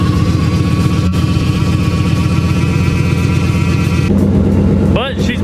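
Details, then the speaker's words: Turbo Thunderbird: steady high-pitched whine over rough, lumpy engine note, normally constant; owner suspects torque converter or transmission front pump, unconfirmed. Transmission whine. "it just sounded really bad but I'm pretty sure that the torque converter I don't know if it's the front pump on the transmission either"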